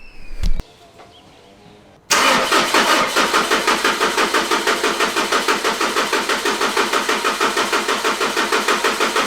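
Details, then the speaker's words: Mitsubishi Pajero Sport 4M41 3.2 DiD diesel at 193,000 km, after the intake manifold was cleaned, the EGR blocked off and the valves set: a quick crank catches at once and settles into an even, steady idle with regular clatter and no misses. "And that is it, folks. She is alive, she is kicking."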